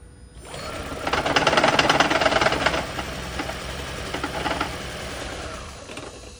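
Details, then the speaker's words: Lexus CT200h/Toyota Prius-type hybrid engine at startup settles into a harsh, shaky rattle of about three beats a second at idle; rough idle from a clogged, stuck-open EGR valve. "All right, now let's see if it's smooth at startup. That doesn't sound good at all."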